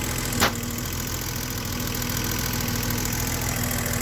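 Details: BMW E32 735iL idle: uneven speed with occasional stumbles like a misfire, caused by incorrectly gapped spark plugs; correcting the gap made the engine smoother.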